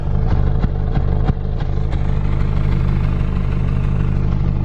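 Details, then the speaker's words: BMW E46 318i Touring, warm four-cylinder idling unevenly with lumpy stumbling beat and irregular clatter; it previously died on the road, new ignition coils planned. "she's running rough like real rough like like died on us when we try to take it down the road the other day"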